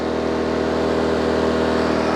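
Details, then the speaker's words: PowerSmart 2200 watt inverter generator, warmed up, running revved up; steady even mid-pitched hum, no knocks or surging, still very quiet and healthy. "still not crazy loud y'all at all foreign oh my goodness that is so quiet"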